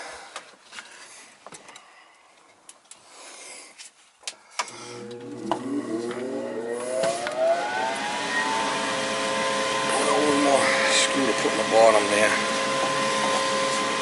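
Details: Goodman gas furnace after replacing the exhaust (inducer) blower assembly: the blower whirs up with a smoothly rising pitch, then settles into a steady, even hum with no rattle or scrape; sounds healthy.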